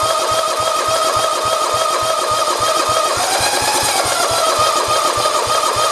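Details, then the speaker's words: 1967 112 round fender, starter whine with even compression chuffs about three a second and no firing; fuel line pulled off shows no fuel reaching the carburetor, cranking but fuel-starved. "let's pull the line off of it and see if anything comes out of it or not I know you would think we could pull that whole we can pull this out see look at no fuel so we're not getting fuel"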